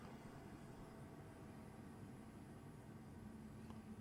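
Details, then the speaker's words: Hcalory HC2 diesel heater, about two minutes after shutdown from hot running. A soft, steady low whoosh with no knocks or rattles as the blower keeps running gently to cool the unit. Finding: normal post-shutdown cooldown fan run. "So, the unit is off, but the fan's still blowing just slightly. So, it it hasn't shut the fan off all the way. So, it's still trying to cool itself down, which is good."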